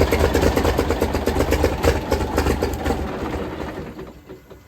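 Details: 1978 International Transtar II cabover diesel, first start after sitting 3 years; uneven chugging about three beats per second as it cranks and catches, then tails off; starts successfully.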